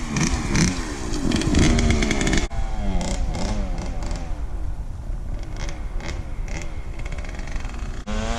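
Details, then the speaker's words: KTM 65 two-stroke motocross bike shutting down at mid to high throttle; revs up then stumbles and flattens instead of climbing, feels like fueling issue on top, running the bowl dry; bogging traced to dirty carb and jets needing cleaning, power valve hose also clogged. "Feels like a fueling issue on top. It's running the bowl dry when you get on it."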